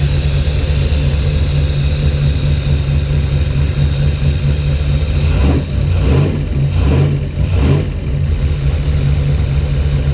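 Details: Deep, loud idle that hunts and stumbles unevenly. This follows restoring lost coil/distributor spark by moving the wiring loom. Fuel pressure was 50 after prime and over 60 during prime. The engine sneezes fuel and runs really rich; the cause is not confirmed.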